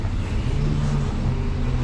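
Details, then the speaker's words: Chrysler 300 with swapped-in junkyard 3.5L V6, about 1,000 miles after the swap: steady even low rumble with no knocks, misses or ticks; smooth normal idle (transmission separately suspected failing). "but we've got about 1,000 miles on it now. It's purring like a kitten, but just over 1,000."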